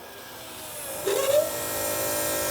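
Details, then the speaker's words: Toyota Starlet 5E-FE with ITBs, new methanol fuel system fed by gravity from the tank, ignition on priming the pump: quiet, steady electric hum, no longer whining as before. Fuel pump healthy. "That sounds way better already, doesn't it? Sounds exactly the same. It's not whining."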